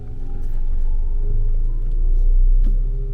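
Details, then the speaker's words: HPEVS AC50 AC electric motor from a delivery van, after bearing replacement, tested with the wheels raised: deep, steady, even hum held at 2000 rpm with no grinding or knocking. The bearing is barely audible; running normally. "ahí está girando se va a quedar en las 2000 revoluciones por minuto clavado y este y no sé si alcanzan a escuchar pero está funcionando perfectamente bien El balero no se escucha aquí en el interior se escucha muy poco que está girando"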